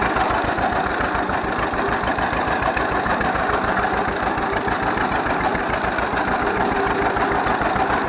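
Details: 1931 John Deere GP two-cylinder tractor, first run after carburetor repair. Steady low putt-putt at about three and a half beats a second, no misses or knocks; idles nicely, smokes a little.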